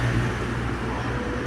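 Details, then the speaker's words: Mahindra Scorpio diesel after fixing a seized, loose number-one connecting-rod bearing (tak-tak knock) without engine teardown: smooth even idle, steady low drone, no tapping or knock; normal idle. "उसके बाद देखिए sound up बहुत मस्त हो गया कोई दिक्कत नहीं ये देखिए मजा आ गया"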